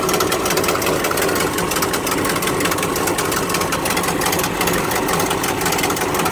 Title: Exhaust leak 1